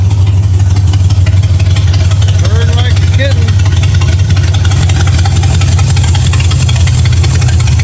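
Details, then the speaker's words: 1965 Ford Mustang V8 idling after new headers, 12 degrees before timing and a three-quarter-turn idle screw adjustment; deep steady rumble with no miss, hunting or knock, sounds real good, normal idle. "sounds real good"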